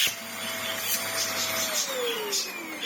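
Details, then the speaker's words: Vax Air Stretch bagless upright corded vacuum, refitted after dust was cleared from the motor area; pre-motor filter missing. Strong, steady motor whine with brisk airy rush; pitch dips once, then settles. Very much alive with good suction, running normally. "This Vax Air hasn't died though. It's very much alive now."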